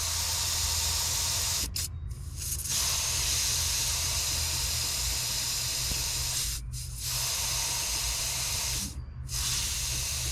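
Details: 2020 GMC Sierra with Ridetech lowering kit and rear helper air bags, let down from about 50 to 10 PSI: steady sharp hiss of escaping air broken by three short pauses as the valve is released; normal deflation.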